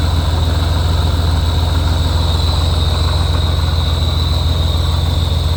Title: Weird noise on a Rotrex Supercharger, any idea if its normal, or if theres something wrong